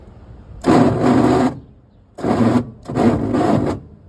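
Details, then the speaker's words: 1962 Chevy Corvair run after 40 years of sitting: three cranking attempts, each a harsh, gritty grind under a second long with no clean spin-up. Starter or flywheel teeth are suspected of not meshing, not confirmed, and it made a weird sound earlier. "I don't know what that is. Um, I don't know if it's a starter or if it's flywheel. Does not sound good, whatever it is."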